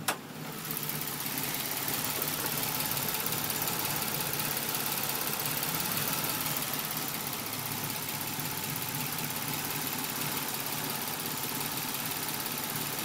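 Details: Nissan Maxima idling in Park, recorded at the exhaust, with P0021 the only code and no leaks: fast, uneven light tick about three per second with the car shaking and rpm jumping; ticking with rough idle, cause not yet found.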